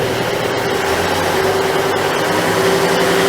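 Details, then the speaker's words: Greenline hybrid boat switched from electric to diesel, E unit in generator mode, heard through the open engine hatch: steady diesel clatter with a faint constant tone, even firing and no knocks; healthy diesel running under charging load. "Well, it means we're firing up the diesel right now. We have an open engine hatch, that's why you can hear the diesel running."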